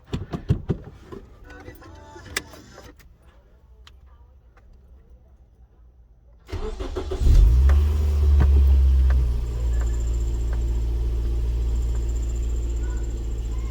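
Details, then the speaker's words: First-gen Scion xB after replacing the rear engine mount with a solid mount: starter cranks briefly, engine settles into a steady, even low idle with a faint deep hum; only very slight vibration, engine doesn't move. "if it calls the door you can hear it it's very very slight vibration"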